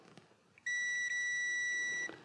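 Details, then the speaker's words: Mercedes 560SL (R107) neutral safety switch tested ahead of time under the car after adjusting the linkage to the left in neutral: a single clean high beep of about 1.5 seconds shows continuity, so the switch closes in neutral. "So you can do this under the car, right? You can test it all ahead of time."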